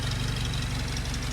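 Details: Willys Jeep petrol engine warming up after nearly 15 years unused; oil pressure present, water temperature rising: even, low throbbing idle with steady firing pulses, no stumbles or knocks; idling cleanly.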